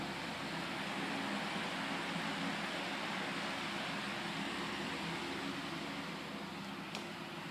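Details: Repaired household fan: steady even whoosh and smooth motor hum, no rattles or speed hunting; running normally.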